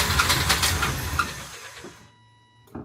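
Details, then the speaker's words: Nissan Altima SE-R project car, started on a booster pack: rough, uneven chuffing misfire as it catches, then stumbles and dies, with a screech and oil-smelling exhaust smoke; sounds like spark plugs are out. "it sounds like spark plugs are out"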